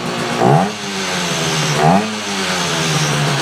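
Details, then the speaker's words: 1968 Yamaha YAS1C 125 twin with suspected right-bank misfire, carburetors cleaned, air jets set around 1 3/4 to 1 1/2 turns: two throttle blips where revs rise sluggishly and sag before recovering, then idle; still bogs on throttle. "seems a little better there's still a little [Music] bog"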